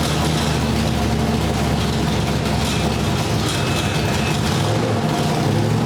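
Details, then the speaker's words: Ford V8 with a Sniper EFI system, static timing just set. A deep, even, lumpy rumble with no knocks, ticks or misses; still being tuned to hold idle. Normal running. "Sounds pretty sweet, huh? It does purr pretty well. Sounds like a dang race car is what it sounds like."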